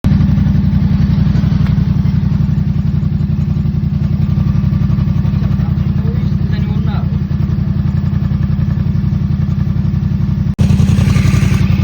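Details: 2024 Yamaha MT-07 engine idling with fast even low thump and light rattle on top; rattle cause unknown.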